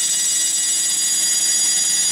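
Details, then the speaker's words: Faulty HP MAP3367NC 36.4GB SCSI hard drive, powered up, green LED permanently on: a piercing high whine and airy hiss from the spinning drive, with no seek clicks; the owner suspects a defective controller board and motor bearings. "So, what I'm going to do is I'm just going to plug this in. As you can hear, it's incredibly noisy."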